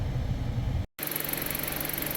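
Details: Car idling after a repair and clearing stored intake air temperature, coolant temp sensor and catalyst efficiency codes, check engine light off, before a road test: steady, even low idle, smooth hum, no knocks, ticks or misses; normal idle.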